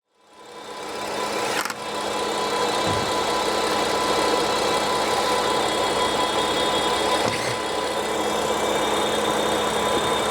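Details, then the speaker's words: BMW F80 M3 at idle: a steady engine note with a thin, constant high whistle on top, caused by a failed oil separator in the valve (rocker) cover. Fixed by replacing it with a genuine new valve cover. "이게 작업을 하다 보면 이런 소리가 들리는 경우가 있는데 이거는 지금 분량이에요 불량 봐봐요 세포트 나갔어"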